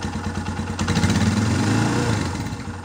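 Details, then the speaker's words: Used Scorpio Z big single-cylinder motorcycle on a pre-purchase check: a steady thumping idle, then a quick rev to high RPM and back, with a slightly lumpy but normal beat and no pinging or metal-on-metal knock, so the engine is healthy. "Teman-teman dengerin, apakah ketika RPM-nya tinggi ada suara aneh-aneh di mesin?"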